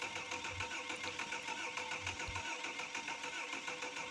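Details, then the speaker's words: Cummins 6BT 5.9 L inline-six diesel just overhauled, oil filled, first long starter crank to bleed air lock from fuel line, no radiator or water: steady fast rhythmic cranking churn without firing; normal. "এই first self মারার সময় ইঞ্জিনের যে fuel লাইনে হাওয়া রয়েছে সেই airlock কাটা হচ্ছে। এখানে দেখতে পাচ্ছেন এয়ারলক কাটা হচ্ছে, খুব লং সেলফ দেওয়া হচ্ছে।"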